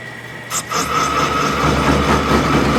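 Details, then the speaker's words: Homemade lathe's first cut with a not-so-sharp tool bit plunged in: low motor hum, then harsh ringing buzz of tool chatter because the machine is not nearly rigid enough yet. "let's i mean obviously you can hear just chattering away this whole thing is not even close to uh rigid enough yet but look at that it's actually doing something"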